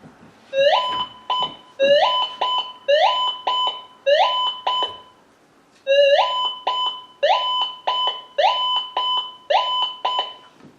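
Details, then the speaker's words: Minelab GM 1000 (Gold Monster) metal detector, indoor test, all-metal mode: repeated rising beeps in bursts that keep breaking up, from steel lying beside a small gold piece; a confused ghosting signal that discrimination can reject. "And this is what's called ghosting. This is a piece of steel laying really close to a nice little piece of gold."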